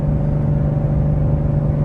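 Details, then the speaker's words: 2013 Volvo XC70 T6 at full throttle: a flat, steady low drone that never climbs in pitch as the engine bogs and won't pull; suspected to be boosting without enough fuel. "gonna floor it. It doesn't do anything."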